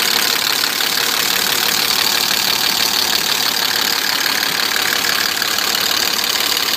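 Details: BMW E34 with M50 engine at idle, fast fairly even light knocking running through it, about three per second. Engine knock, source not identified.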